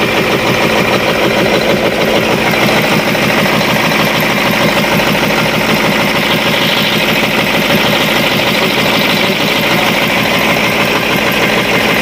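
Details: Cat 3208 starboard marine diesel idling after repairing the plunger and barrel, which had stuck from corrosion after 18 months: loud, steady diesel clatter at an even idle with no stumbling or knocking. Runs smoothly.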